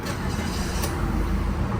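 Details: Car parked half a day, ignition on about five seconds before cranking: engine catches and settles into a steady, even idle with no stumble or long crank; normal start, whereas the complaint is long cranking after about 20 minutes parked.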